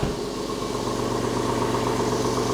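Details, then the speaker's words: Porsche 996 first start after engine-out service with new lifters and flange seal, IMS solution fitted, loud exhaust with muffler bypass pipe: fires instantly into an even, loud idle, fuel and oil pressure good. "so we had definitely about fuel pressure oil is up to pressure which is nice sounds good remember this engine does have that Gunn hack exhaust system so that's why this exhaust is so loud"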